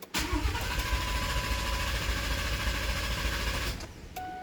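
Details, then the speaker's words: Truck that would not start the day after a track outing, rechecked while being winched into the garage: the starter churns at an even beat for about four seconds without firing; owner suspects the fuel pump overheated from driving home on low fuel, crank no start. "I'm still working on getting it in the garage, but just want to double check that it is still cranking and no starting."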